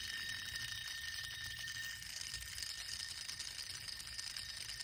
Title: Bad Idler Pulley vs. Good Idler Pulley #automobile #diygarage #mechanic #mechaniclife #repairparts